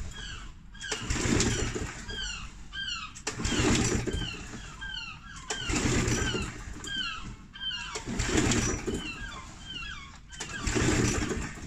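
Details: Challenge Xtreme XSS40A lawn mower that is not priming: on each pull, about every two seconds, it fires in a short burst and dies at once. It fires but won't keep running; the owner suspects the 2-stroke or fuel stabiliser in the fuel.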